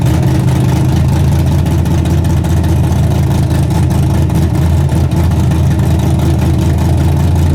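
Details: Freshly rebuilt 406 V8 breaking in, 5 min 15 s into a planned 15-minute run: loud, deep, steady rumble holding an even fast idle, no knocks or misses, healthy. Open plenum fitted; crew thinks it may need a bigger carburetor.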